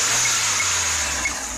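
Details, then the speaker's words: Ford Escort Zetec after service for no idle, misfiring and stalling: steady, even idle with a soft low hum and no misses or surges under the hiss; running regularly, slightly limited by airflow. "tá aí ó funcionamento bom regular né Só não tá melhor por causa do fluxo de ar mas de resto show de bola o dono vai sentir uma diferença tremenda"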